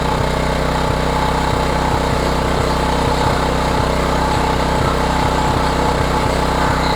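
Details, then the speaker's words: Old Homelite 3500W generator after service, idling without choke, no load: small single-cylinder engine with a steady beat and an occasional uneven, stumbling pulse; slight misfire suspected, cause not confirmed, needs further investigation. "Yeah, it almost sounds like it has a little bit of a mist there. H maybe requires a little bit further investigation."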